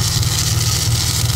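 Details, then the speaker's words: Ford Falcon EF XR6, 4L SOHC, at idle. A quick, even tapping rattle rides over the steady idle and quiets after it runs a while. Owner suspects the power steering pump or its pulley (the pump is leaking a little); not confirmed. "I don't know if it's just the the pulley or the actual pump. I don't know. Sounds a bit rattly though, doesn't it?"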